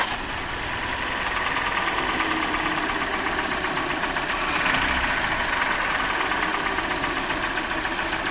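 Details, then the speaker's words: Hyundai Elantra petrol engine idling, louder when cold, during cylinder-by-cylinder disconnection tests for suspected piston slap: light fast ticking/knocking persists; engine ticking at idle. "Okay, it's still knocking, but it's knocking a little bit less now."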